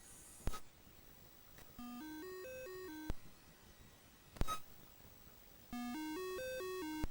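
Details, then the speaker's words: Commodore 64 with dead test cartridge reporting 6581 SID U18 bad: two runs of stepping beeped tones climbing and falling over quiet hiss sound harsh and off; suspected faulty SID sound chip. "Now that sounds pretty bad to me. What it's supposed to be doing is testing all the sound channels on the SID chip and give you"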